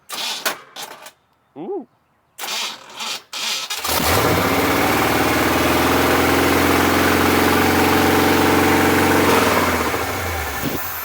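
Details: 1974 Chevy K10 step side pickup with 4-speed manual, sat about a year and a half, first start with the front clip off. A few seconds of cranking and clatter, then it catches and runs steadily with no knocks or misses; the engine is likely sound.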